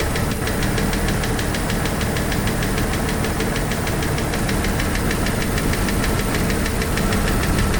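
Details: Jeep YJ 4.0 inline-six at rough idle with steady fast sharp ticking over the engine note; owner doubts it is a lifter, cause unknown.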